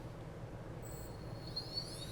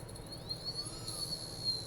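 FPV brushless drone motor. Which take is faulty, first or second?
second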